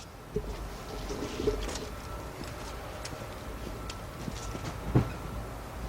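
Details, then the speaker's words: 2002-2005 Hyundai XG350 3.5 engine just started after timing belt and water pump replacement and coolant refill; steady low idle hum with a few light clicks, much quieter, though it ran a little rough at first and owner will monitor for a check engine light. "it oh yeah that's much quieter"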